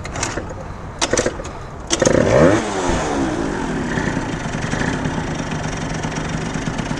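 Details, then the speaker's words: 70cc Yamaha Zuma two-stroke scooter with new CVT parts on a test ride, fuel very low: sharp throttle blips then an uneven, wavering idle struggling to hold steady; rough idle, owner suspects it is nearly out of gas. "this thing doesn't want to idle at all right now hopefully hopefully she just out the gas is pretty damn low see what's going on here boys I don't know why this thing doesn't want to idle"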